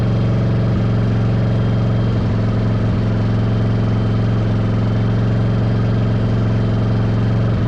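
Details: 1995 Yamaha Virago 1100 V-twin on half choke after cleaning vacuum lines and EGR-type valve: loud, slightly loping uneven idle with occasional stumbles; owner suspects carbs not synced, doubts timing, says it ran better.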